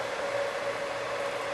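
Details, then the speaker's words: Heathkit SB200 amplifier (two 572 triodes) brought up on a variac after HV power supply rework with a soft-start module: steady, even fan whoosh with no rubbing or ticking. Fan spinning, filaments on, no smoke. "Yep. Fan spinning. Filaments are on. No smoke."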